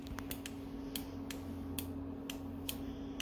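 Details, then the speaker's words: Car 428/409 ECM power relay bench-tested for no crank no start, brand-new relay energised: crisp firm clicks a few times a second, sounding better than the old one whose resistance differs; clean normal relay switching. "see how this one sounds more better see now let's put the other one again that's how you can tell next time"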